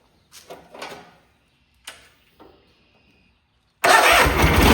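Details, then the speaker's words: Cub Cadet 682 with a Kohler KT17 twin, first start with mouse debris inside, solenoid jumped. A few clicks and clunks, then it fires at once into a steady, even run with no misses. Normal start. "Started right up. That was actually the first start. It had some mice remnants in it, you can see."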